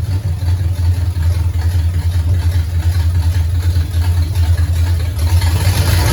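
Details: 1969 Pontiac GTO barn find, first start after sitting 17 years; engine from a 69 Pontiac Grand Prix, TH400, Quick Fuel 750cfm carb. Deep, steady V8 idle with an even beat and no knocks; alternator charging 14 volts, some valve-cover blow-by, fluid smoking off headers. Runs pretty good.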